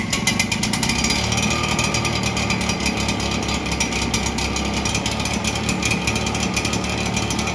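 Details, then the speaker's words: Red Max EBZ7100 commercial two-stroke backpack blower rescued from the dump, after replacing missing fuel lines and carburetor repair; started with starting fluid, throttle adjusted, it buzzes along at steady high speed, crisp and even with no misses: normal running. "Try the other way with the throttle. Ooh, that sounds like it."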